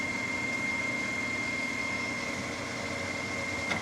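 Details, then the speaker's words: New Precision Matthews PM 1660-TL lathe on its first run and break-in, headstock at 1200 rpm in the high gears: a steady, even hum with a clean high gear whine and no knocks, quieter than expected. Normal running. "nice and smooth it's not it's it's a lot quieter than i expected it to be in these high gears right there it really is"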